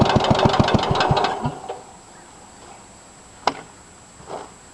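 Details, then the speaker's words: 1963 Cub Cadet original engine on cold start after points-wire repair knocks badly: sharp evenly spaced knocks, three to four a second, then the single-cylinder dies away; metal flakes found in oil, engine needs rebuild or repower; owner suspects bad head gasket. "watch there she is knocking in all her glory got a bad head gasket"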